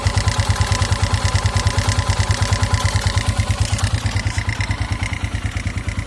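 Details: 2009 KTM EXC 450 single at idle, oil level checked: thumping idle about three beats a second with a clacky tick on each beat; owner suspects cam chain tensioner for the regular clack, irregular tick unknown, fades when revved, sometimes stalls engine.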